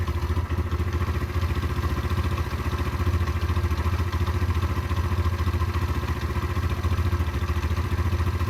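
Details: Derbi 125 motorcycle (model unknown), a former non-runner, being ridden after a carburettor clean and fuel tank clean: steady, even single-cylinder thump at a constant pace with no misses or knocks; it runs smoothly and normally.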